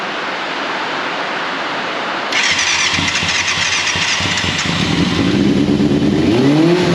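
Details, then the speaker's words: 1989 Yamaha FZR600 Genesis not started in over 4 years, on old fuel; cranks then catches, running uneven and lumpy with a stumbling beat as revs rise, misfiring though compression sounds good. "[Music] sounds like it's misfiring like it's only running it's just this"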